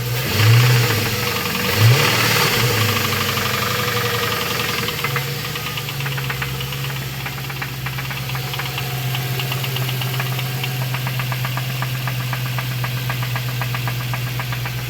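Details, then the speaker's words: 2002 Lincoln LS engine with a sharp regular knock that fades somewhat but returns when revs rise on throttle; owner unsure whether rod or lifters. "it's making a weird noise I'm not sure if it's a rod or lifters starts to go away a little bit but whenever you get on the gas it comes back"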